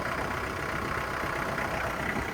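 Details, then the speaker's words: Used 2009 Kubota L4400E diesel tractor with front loader (known loose radiator fan shaft, lift fluid leak, stiff RPM arm): loud but steady clatter at idle, even beat without knocks or misses; starts up really well. "So it's probably loud, but it starts up really good."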